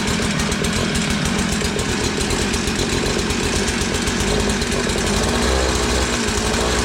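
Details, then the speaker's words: Curb-found Tecumseh two-stroke Mantis-style tiller, first start after fuel system cleaning, on choke: chattering fast busy idle, rough but steady, no knock; runs, but throttle not responding before carburetor adjustment. "Alright, she runs, but if you notice, I was squeezing the throttle and it was not responding."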